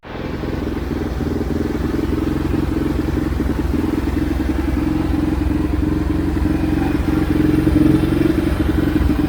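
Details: Xcel mini dirt late model (micro-sprint based) on first start after its carb was cleaned; small twin fires unevenly at fast idle with uneven chuffs, clatter and some speed rise. Oil was later found full of fuel, blamed on a junk carb.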